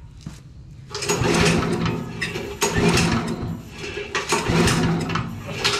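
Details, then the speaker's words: Petrol engine on a job-site generator or saw, with choke on and starting spray used: repeated pull-cord cranking bursts, it turns over but never catches. The spark plugs are to be checked next. Engine cranks but will not start. "still not going so check this one check the spot flux open up the spark plugs"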